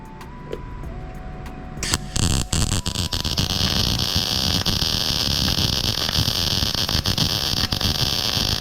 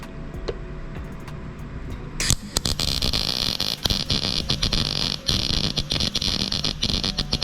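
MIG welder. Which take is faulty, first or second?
second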